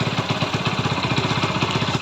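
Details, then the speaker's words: Hero Splendor single-cylinder idling after timing chain replacement and tappet adjustment to fix ticking and rattling: even idle, about thirteen firing pulses a second, no ticking or chain rattle; healthy, unlike before. "तो अब इसकी sound देखें आप कितना यानी कि मस्त sound आ गया इसकी जिस तरीके से साउंड होना चाहिए उसी तरीके से सेम"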